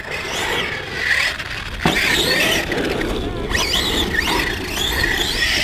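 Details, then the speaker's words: HPI Savage X Flux RC monster truck on 4S, running after the loose pinion was refitted. A thin, stringy high whine wavers with throttle over tire and gravel noise. The owner first suspected clutch slip or the diff; the cause was actually the pinion. "It's got a very stringy whine. Oh. No. No, that is something else. Either that's the pinion come loose again, or we've got diff issues."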